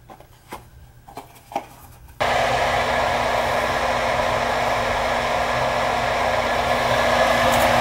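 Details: Whirlpool gas furnace after replacing weak capacitor (reading about 17 µF, rated 20) for weird noises and not running: a few clicks, then blower starts a steady even rush of air, no rattle or scrape; running normally.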